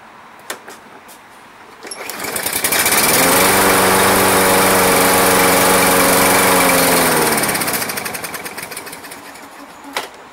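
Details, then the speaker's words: Toro Personal Pace electric-start lawn mower, sat months, near-dead battery, no start: on ether it catches, revs about five seconds, then dies; compression, spark, air confirmed, fuel starvation suspected from old gas left in. "It's got a fuel issue because he most likely left gas in it. So this is going to be winner, winner, chicken dinner. By spraying ether in there, we confirm compression, spark, air, or missing his fuel."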